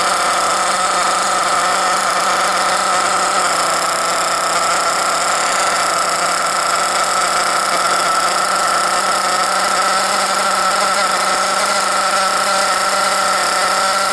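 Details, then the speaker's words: 2021 HPI Savage X 4.6cc nitro RC truck (GT-6), first start with factory-set carburetor screws and air filter on: high, buzzy engine holding steady idle pitch without missing or surging; normal idle. "Oh, the sweet sound of that nitro. Bring back memories, I can tell you that much."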